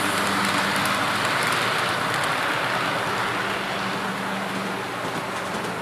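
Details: Athearn P42 model locomotive no. 156, test run after lubrication while hauling 3 cars as a light load: steady hiss and rolling clatter with a low hum, no stalls or surges. Runs smoothly, considered fixed.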